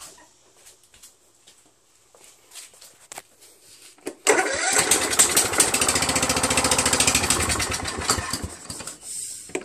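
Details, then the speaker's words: Husqvarna YTH21K46 mower, Kohler Courage 21 HP, new carburettor: cranks, fires on sprayed carb cleaner, runs rough about five seconds and dies; no fuel reaching it, fuel solenoid suspected and to be removed. "right so you know it's not getting fuel that damn solenoid you know you really don't need the damn solenoid"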